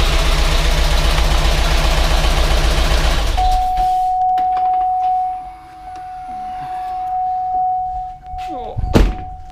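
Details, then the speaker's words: GMC Yukon Denali 6.2L LS (DOD) first start after engine reassembly with fresh oil and coolant, oil pressure present; fast even clatter about 3–4 per second over idle until shutdown. Owner suspects lifters lacking oil; collapsed lifter tick. "it off because it didn't sound great quite sure what's going on we had oil pressure now whether the lifters just don't have enough oil in them yet"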